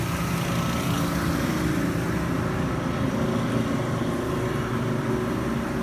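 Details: Panda PAN760SF 3.75 cu ft dryer after fan belt replacement: steady rough low rumble with gritty chatter from the worn drive motor; noise ended once the motor was replaced.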